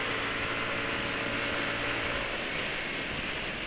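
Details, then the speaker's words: Yamaha NMAX automatic scooter: coarse, raspy, croaky drone from exhaust and CVT at steady speed, a normal characteristic roughness that oil cannot smooth out. "Juga ada beberapa bagian yang ya memang ciri suaranya kasar, yang nggak bisa diperhalus oleh oli. Kayak suara ini NMAX ini, suara kroak ini nggak iso."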